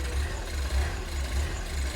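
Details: Fire-damaged Ford Fiesta ST 215 rebuild, running with no radiator and much still unplugged: a deep idle that swells and sags about every half second, never settling.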